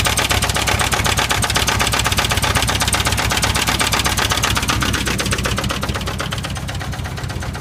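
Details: 1979 Chevy K5 Blazer, 350 V8, idling: sharp even knock about four times a second, steady over the idle; owner unsure whether it is the flexplate or the engine.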